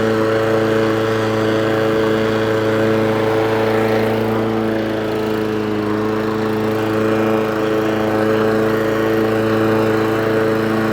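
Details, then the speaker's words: Old Mountfield lawnmower with a Honda engine, after service, engine possibly not yet fully warm: a steady, even drone with no surging, popping or misfires. Pulls well, though the carburetor needs some idle adjustment. "Bit of idle work on the carburetor needed. I dare say it wants a really good run as well. But it pulls like an absolute train. Lovely mower."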